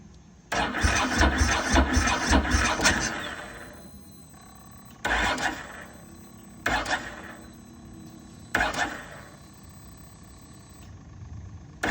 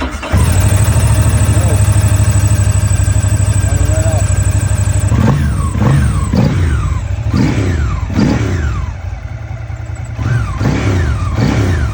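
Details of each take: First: 2006 Ducati ST3 after replacing broken S-shaped hose and reconnecting fuel pump-to-filter hose: one long crank then four sluggish bursts, never catches; cranks but no start, blamed on low battery, to be charged or jumped. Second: 2006 Ducati ST3: catches promptly, settles to steady idle, sharp throttle blips rise and fall cleanly; normal start and revving.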